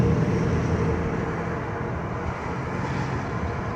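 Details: 2010 Dodge Grand Caravan, about 200,000 miles: deep steady drone, like a helicopter or airplane, builds above about 30 mph and grows louder turning one way; source still unknown.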